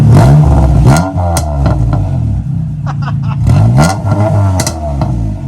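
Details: Acura Integra GSR B18C1 after rebuild with Supertech head gasket and ARP head studs, running rich at 11.4 air-fuel: smooth idle rising into quick clean revs and settling back, no knock, miss or rattle; engine sounds healthy.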